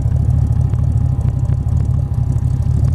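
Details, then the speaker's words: 1931 Ford 5W coupe hot rod, 289/302 Ford V8, C4 automatic, relatively cold: deep lumpy even idle, no lifter noise or knocking, no smoke, no issues; normal idle. "It sounds great. I didn't hear any kind of lifter noise or anything like that."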